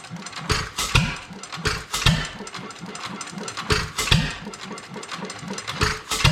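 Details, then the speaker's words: Domestic Type F single-cylinder engine with mud-sucker pump, governor spring shortened about a quarter inch: slow, loose chuffing beats with long gaps between firings; engine runs but still too slow to pump water. "it's still running too slow to pump water at least it's running"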